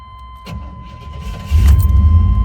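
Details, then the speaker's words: 1990 Chevrolet Suburban V1500 4x4, restored 350 TBI V8 with 700R4, new high-output alternator, cold start: brief starter whir, fires at once into a strong steady rumble without stumbling; idles perfectly with good oil pressure and voltage. "you can see it starts right up no she's whatsoever pressure as you can see it is cold Idols perfectly great voltage"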